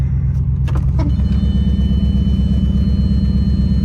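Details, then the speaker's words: Audi A6 4.2 V8 at idle, heard from underneath: loud, deep puffing about three beats a second with a raspy edge from the torn-apart flex pipe; a bad downstream O2 sensor also causes a rough, misfire-like idle. "first issue is the flex pipe straight below us is basically tore apart so it sounds really bad"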